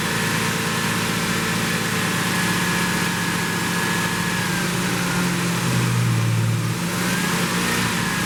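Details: 1972 Plymouth Roadrunner 383 Magnum V8, after sitting 15+ months unrun, during cam break-in: steady raised idle, even burble with slight rpm drift, no knocks or misses; normal fast idle during cam break-in.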